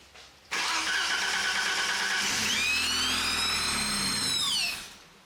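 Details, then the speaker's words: 1987 BMW 528e E28 that sat off the road for 3+ years: the engine turns over and runs under a loud hissing rush and rising and falling whistle. It is a significant air leak from a throttle body that was not tightened down. "but it sounded like there was a significant air leak of some sort that's what that sounded like"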